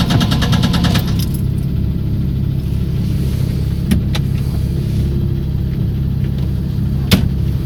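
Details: 1994 Chrysler LHS idling evenly with a faint, loosely regular tap of about three per second over the low hum; engine knock of unknown cause.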